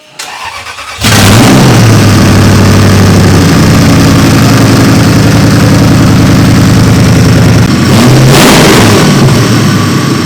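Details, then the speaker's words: 2003 Toyota 4Runner V8 race truck, engine just reinstalled on new motor mounts for King of the Hammers prep, first start: fires within a second, steady even idle, then a clean quick rev blip; has compression and runs healthy. "Sounds like it has compression. That's good. Everything seemed good up front on the pulleys."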